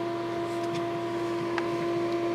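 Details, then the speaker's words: Custom-built Pentium D desktop PC: a constant high-pitched whine over a faint hum, steady in pitch, from a failing power supply fan that isn't moving any air. "oh no it's a power supply fan which isn't moving any air I don't like"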